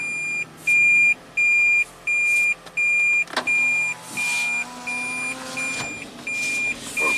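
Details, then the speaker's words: 2014 Toyota Prius V, 145k miles, with a failed head gasket and milky oil, run on fresh 0W-20 with the coolant cap loose: high clear beeps about every 0.7 seconds while reversing over a quiet engine; normal reverse alert. "oh it's got to make its fun sound make sure it doesn't Crush anyone"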